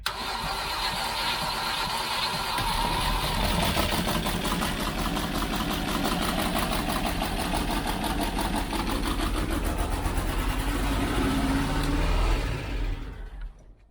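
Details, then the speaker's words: 1989 Range Rover Vogue SE, first cold start after long standing, started on a dummy fuel-feed wire: catches after cranking and holds a high, unsteady rev because the throttle was jammed open. "I'll be honest I wasn't expecting that um throttle jammed do right throttle now better let's wind the throttle so the throttle is loose cuz that's why it revved like then"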